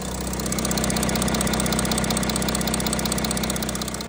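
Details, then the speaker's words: Audi A6 C8 3.0 TDI (third gen) after camshaft sprocket/timing parts replacement for engine noise the dealer called normal: steady, even diesel idle clatter with no rattle or chain noise; owner satisfied noise gone. "uh the owner was pretty much happy because the noise was all s out so that's fine"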